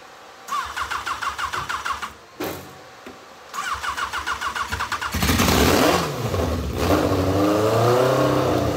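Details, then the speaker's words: Race car after engine swap, first start attempts: carburetor pouring fuel, alternator backfeeding the ignition; two bursts of rhythmic cranking, then it catches and revs unevenly; carburetor flooding, needles and seats suspected, exact fault unknown. "the car bear is just pouring gas we're gonna try to crank it one more time and tap it if it don't work uh we're gonna have to uh pull the carburetors off and go through these needles and seats"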